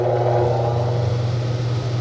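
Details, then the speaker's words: Vintage brown Lennox belt-driven blower with old General Electric motor, starting up on a new, slightly tight belt: smooth, even low hum and steady airy rush with no slapping or squeal, much quieter than before and moving lots of air. "now it's a lot quieter and that belt's a little it's still gonna stretch around but it's it's doing pretty good and it moves quite a bit of air"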